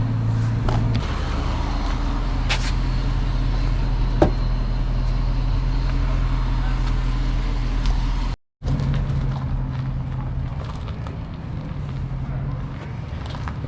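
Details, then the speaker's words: 2006 Dodge Magnum, warmed up, suitcase muffler replaced by two pass-through Magnaflows, rear mufflers retained: steady deep idle rumble with a few blips, only slightly throaty, as the rear mufflers still muffle a lot; mild, healthy exhaust growl. "it just barely sounds a little throaty just barely sounds a little throaty those back mufflers still do a lot of muffling"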